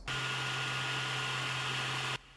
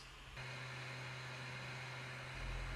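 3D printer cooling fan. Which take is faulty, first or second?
first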